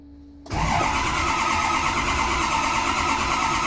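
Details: 2003 6.0L diesel: the starter grinds with an uneven, droning turnover that never settles into a firing idle; cranks but won't start.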